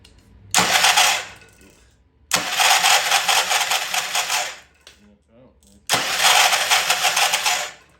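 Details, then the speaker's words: Old Troy-Bilt Pony rototiller cranked by key on a temporary battery after freeing stuck-slow valves: three harsh, raspy cranking bursts with no catch; starter sounds terrible, owner suspects a valve spring issue, spark present. "all right that's a little better have a fighting chance here that is starter sound terrible"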